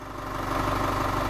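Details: 2016 Chevrolet Colorado 2.8L Duramax diesel, about 24,000 miles, after a fuel filter change. Even, steady diesel idle with a smooth low rumble and no knocks, misses or odd noises; it sounds healthy and normal.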